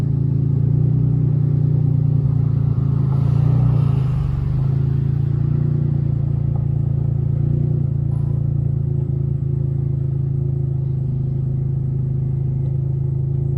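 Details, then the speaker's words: 1994 Dodge Stealth RT twin turbo project car at idle, owner notes an exhaust leak that sounds horrible, plus an unlocated oil leak underneath: rough, heavy low rumble with an uneven puffing chuff underneath; exhaust leak. "i also got an exhaust leg it sounds horrible but yeah"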